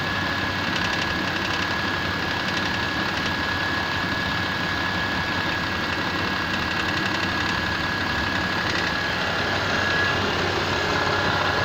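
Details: Mitsubishi Pajero 4 with 6G75 V6, cold start: steady, fairly quick ticking knock over the engine hum at cold idle; cause of the knock not yet identified.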